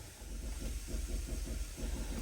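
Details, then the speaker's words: Motorhome with HWH air leveling system, rear being lowered manually to level the coach: a soft hiss with a gentle low pulsing rhythm as air vents. Normal air suspension exhaust. "we're going to raise the front up and we'll actually just drop the back a little bit"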